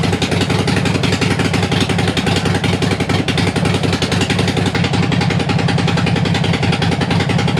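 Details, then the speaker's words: Harley-Davidson Sportster after 1900 miles in four days, warming up before gasket change: loud uneven V-twin idle with sharp ticking chatter on every beat, "like a bag of spanners"; exhaust leak at front header gasket. "i did have one small problem with the front exhaust gasket which i'm gonna be changing today because i had a slight leak on it and the bike now sounds like a bag of spanners"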